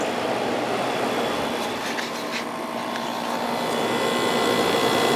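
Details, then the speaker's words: 1989 Climatrol (Fedders) 8,000 BTU window air conditioner with Rotorex compressor and Samsung fan motor, after cleaning the condenser and evaporator: steady fan rush over a smooth compressor hum, no rattles; quiet, cooling normally. "That sounds nice and quiet. It's getting cold."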